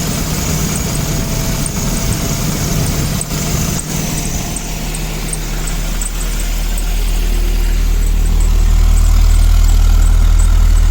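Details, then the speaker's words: 1984-89 Toyota Van Wagon running on its own for the first time after fuel pump replacement and draining old fuel; steady, even low idle rumble with no misses or knocks, rising slightly in pitch; some smoke from heavy ATF mix in fuel; runs cleanly. "first time i've heard it around on its own"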